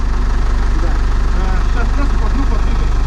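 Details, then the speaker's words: Knocking noise, an even knock about 2.5 times a second at a low steady idle on a camper van during a trip in Poland; unclear whether it comes from a wheel or elsewhere. "стучит колесо или не колесо или что-то стучит"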